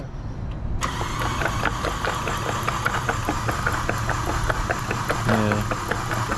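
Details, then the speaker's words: Mk5 Golf GTI TFSI transplant engine still full of oil, cranked on starter with plugs out: steady whir with rhythmic chuffs, fluid still pushed from plug holes, cylinder four worst. Hydrolock. "the engine still full of oil so crank it over again"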